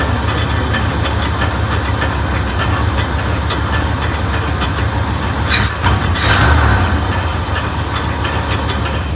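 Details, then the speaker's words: 1989 GMC Sierra one-ton dually, 454 big block, first start, in park: heavy rough rumble with faint irregular knock that doesn't rise with revs; owner suspects something hitting the flywheel, origin unknown. "Sounds like something's hitting the flywheel, maybe? I don't know. I wonder what that noise is. I'm in park, so it's definitely something in there."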